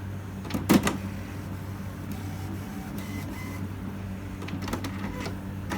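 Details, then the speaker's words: HP Smart Tank 7001 just switched back on after its first black ink refill: a few sharp clicks and short motor whirs, then a quiet hum; normal setup cycle. "It's setting up, doing something. Be patient. There we go, I hear sounds in there."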